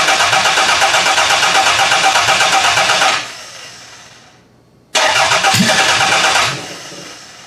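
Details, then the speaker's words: Demolition-derby car engine from a garbage pile: steady even cranking about three beats per second, stops, cranks again, never catches; no spark on cylinders one and four. "it's either that or I have a bad coil pack"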